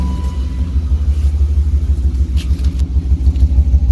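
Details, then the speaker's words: BMW E36 after swapping ignition parts to isolate a misfire; warm idle with a low rumble stumbling about three times a second, a steady misfire on one cylinder, cause not confirmed. "good and misf fiery so now it should be this one that doesn't make a difference and this one it'll fall off as soon as I unplug it"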